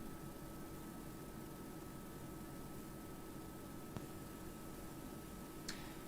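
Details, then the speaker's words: Amplifier on the bench, mic brought down to the speaker, gives a very faint, steady hiss with a slight hum and no crackle or pops after power-cycling; low but audible output noise floor. "I have no idea if you can hear that, but there is a very, very faint amount of noise. Very, very faint amount of noise."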